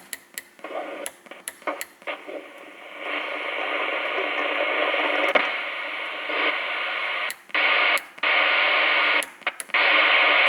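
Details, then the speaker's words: Albrecht AE6491 CB radio with NRC noise reduction on, AM, ASQ scan, external speaker: on an empty channel with no signal, hiss chops on and off in uneven bursts with blips, a robotic, digital-breakthrough-like noise. "As you hear, this is a problem I found. It's got a robotic voice, but there's nobody there. It's an empty channel."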